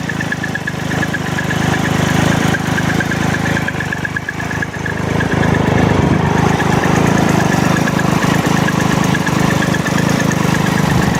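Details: 2012 Triumph Tiger Explorer three-cylinder idling with a fast, uneven metallic rattle over the engine beat, about three or four a second; source not pinned down, owner to take it to the dealer; rattling noise at idle.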